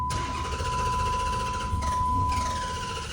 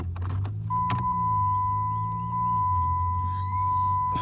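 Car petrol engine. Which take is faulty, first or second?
first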